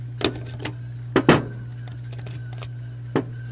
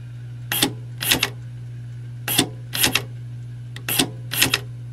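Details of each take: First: Honda electric trunk latch actuator, replaced for sticking; tiny motor with gear train, spring and microswitch; short buzzing motor bursts with sharp clicks over a steady hum, binding and not releasing; microswitch apparently shorting. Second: Removed Honda electric trunk release latch on the bench, 12 V applied to the correct terminal: short whirring buzzes in pairs under half a second over a steady low hum as the small motor drives the latch; normal actuator operation.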